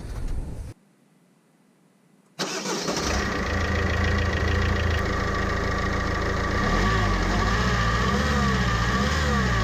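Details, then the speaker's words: Vauxhall Vivaro diesel van starting and idling with a steady high whine over the clatter; belt-drive bearing needing replacement, still present after the first fix attempt. "Unfortunately, this did not solve the the issue. Obviously, that bearing needs to be replaced."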